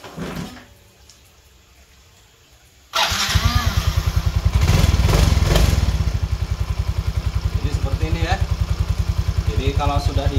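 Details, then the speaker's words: Yamaha Fino 125 FI scooter after replacing the pulley-shaft gearbox bearing: the engine starts and settles into a steady, even idle. The earlier clunking from the gearbox side is gone; normal idle. "bagian ini sudah tidak terdengar kelotok-kelotok ya"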